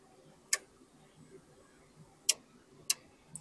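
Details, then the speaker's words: Jackery 1000 V2 power station at 76% charging from a pure sine wave inverter: relay clicks on and off unevenly while the screen blinks; owner suspects the input protection trips on a dirty signal. "So what's happening is the protection circuit is kicking in because it's uh picking it up as a dirty signal."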